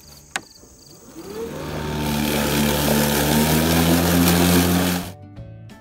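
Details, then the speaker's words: Toro 60V Recycler electric mower on full charge: whirs up, strains through very tall grass, then abruptly stops and beeps and won't restart; bag packed tight with clippings, stalling under heavy load. "and you can see now that the mower has stopped and now it's making a beeping so we try to start it again it won't it just beeps"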